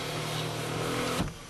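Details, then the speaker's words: 1993 Oldsmobile Cutlass, new battery: smooth even power window motor whine about a second, clean stop and soft thud as window seats. Normal power window operation. "Goes all the way down and up. Oops, wrong window. See, that one works."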